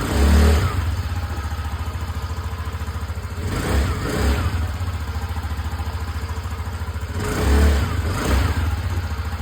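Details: TVS Callisto scooter after cleaning a very dirty fuel pump, possibly fouled by Pertalite fuel; it had bucked, ticked, refused throttle and stalled; now revs cleanly through three blips and returns to steady idle: running normally.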